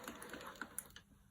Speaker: Now if I free that so it's hanging and dangling freely, let's get it going again, it will work nice and smoothly. Okay, that makes such a difference.